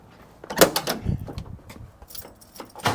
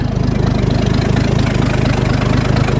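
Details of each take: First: Ford bullnose truck 300 inline six with two-barrel carb, cold with choke: few seconds of steady even cranking that never fires; not enough fuel, battery dying. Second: Ford bullnose truck 300 inline six after two-barrel carb swap: steady smooth low idle, no misses or knocks; idle a little low but better than the previous 1100 rpm.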